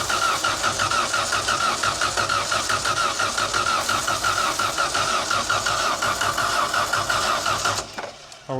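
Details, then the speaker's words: 1990s Genie Z45-25 man lift, propane-fuelled, ether sprayed in while cranking: starter spins the engine steadily, about three compression beats a second, but it never fires; coil is plugged in and getting signal, crank-no-start. "Let me hit it one more time. Come. No. It's sending the signal to it. It's just not"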